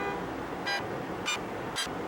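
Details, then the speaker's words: Honda Accord running with AC on, after new accessory belts and power steering fluid change: short high-pitched squeaks about twice a second; belt settled in and lost tension, slipping. "I figured out why it was squeaking put the AC on and right away and all it was is we lost tension in the belt it it settled in"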